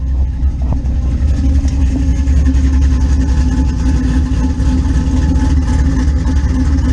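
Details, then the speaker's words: Blazer with a newly installed Gen 4 5.3 V8 with cam, replacing an old 5.3 with a cracked head: deep loping idle rumble with slight choppy cam lope and no knocks or ticks. Normal running. "i'd say that sounds pretty good"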